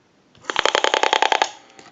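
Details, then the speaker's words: Western Electric 202 rotary desk telephone: about ten sharp, evenly spaced clicks per second heard in the receiver while dialing, because the rotary dial is wired improperly and doesn't squelch the dial pulses. "heavy clicking that pulse signal noise in the receiver indicates that the rotary dial in this case has been wired improperly it has the connections to squelch that receive clicking out when the telephone is dialed"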